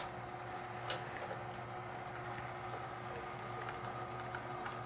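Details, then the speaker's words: Hoshizaki nugget ice machine after troubleshooting a beeping, ice-stopping fault: low steady pump hum with water running in as the water valve briefly opens to refill the reservoir during purge; normal purge and reservoir fill cycle. "going through its purge as you can see we are reducing ice water valve did open up temporarily to fill up that water reservoir tank and as you can tell we are good to go"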